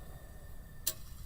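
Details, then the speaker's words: Refurbished 1 HP Baldor electric motor with new bearings, unplugged and coasting down: a faint, steady whine, then one sharp click as the centrifugal switch contacts close, reconnecting the start capacitor circuit. Normal behaviour. "you heard that click what's going on of course is those two the inertia switch the two copper rings are pressing back together again as the switch is closed that completes again the circuits of the start capacitor here"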